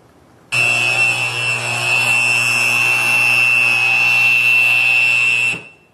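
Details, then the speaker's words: Electric motor with a ten-thousandths-inch soft foot, heard through an ultrasound probe at the inboard bearing: a steady hiss over 60 Hz mains hum swells in a slow surge as the rotor works through the twist. "you hear the air and there that is that rotor working through a twist okay"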